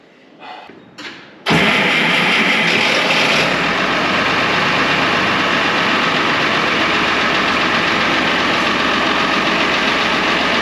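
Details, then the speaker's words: 1970 International Harvester 1456 Gold Demo barn-find diesel tractor, first start in 14 years: cranks, catches, and settles into a steady, even run with no knocks or misses; the oil pressure light goes off, so it runs normally. "a okay it runs it's awesome"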